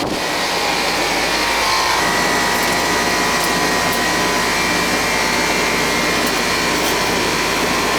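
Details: Home AC unit with Bristol compressor on a service call: steady, even airy fan rush over a constant low hum, no rattles or squeals; condenser fan and compressor running normally.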